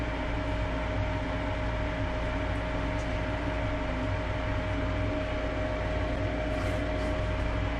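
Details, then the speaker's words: Lennox gas furnace after inducer motor replacement (old bearing failed), gas valve open and burners lit: even steady hum, constant mid tone, no rattle or wobble; sounds much better, normal furnace operation. "okay well that sounds much better"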